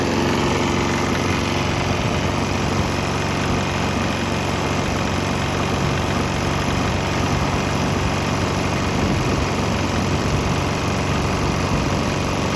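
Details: Swan X 165F Chinese single-cylinder diesel on a 50% used motor oil / 50% diesel mix; steady, even thump, no misses or knocks. Earlier bucking and stumbling cleared after it transitioned to the mix, and it runs cleanly.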